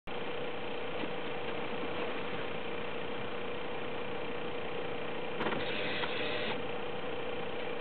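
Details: BMW E36 318is with M44B19 engine at cold start: a constant metallic ring over a steady drone, with idle hunting between 1000 and 1500 rpm. Cause unknown.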